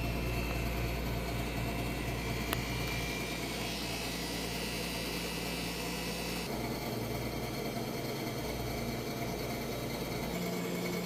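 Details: Freeze dryer vacuum pump in final dry with bell peppers, room about 78°F, after fixing the valve that caused error code 8: smooth constant hum and steady hiss, no surging or sputter; vacuuming now good.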